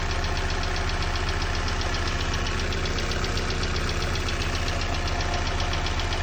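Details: Opel Z16XEP engine idling cold, with a steady ticking knock about twice per second over the low rumble. Origin unknown. Cold-start engine knock.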